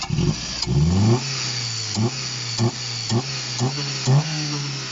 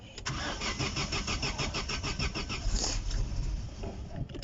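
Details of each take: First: Opel non-runner, thought to sound like a 1.6 Astra F, first start with only the belt fitted and a leaking water pump: steady idle then quick clean throttle blips, healthy and responsive; little smoke but some blow-by. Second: Non-running Opel on first start, only the belt fitted, water pump leaking: catches and stumbles with an uneven, lumpy firing beat that never settles; misfire suspected from bad spark plug contact, unconfirmed.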